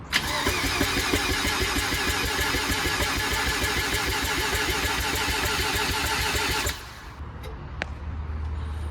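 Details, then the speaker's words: Mazda RX7 FC3S with fresh street-ported rotary, first crank after 2 months in storage, fuel pressure up, crank angle sensor unplugged to prime oil: quick even cranking about three beats a second for six seconds, no firing; deliberate priming crank. "Yeah, we're just going to prime it first. That's it, yeah. Prime it first. We got the crank angle sensor unplugged, so just build some oil pressure."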